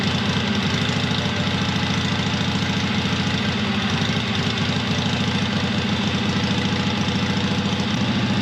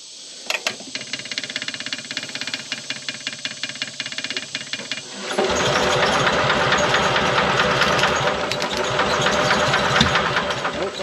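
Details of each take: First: 1970s Onan twin-cylinder RV generator, long unused, muffler off, after transmission fluid freed a stuck valve: loud, even twin-cylinder beat about three and a half pulses a second, no misses; both cylinders firing, running normally. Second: 1970s Onan RV generator, long unused, spark plug refitted: steady starter cranking about two to three beats a second for five seconds before it catches. Hard starting; later misses on one cylinder, owner suspects sticking intake valve losing compression.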